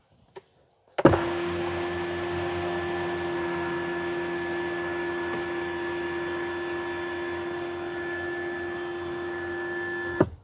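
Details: TesStudio power retractable roof sunshade in a Tesla Model Y, closing from the back-seat controls after installation: a steady, even motor hum with a constant tone for about nine seconds, no strain or clicks; normal sunshade motor operation.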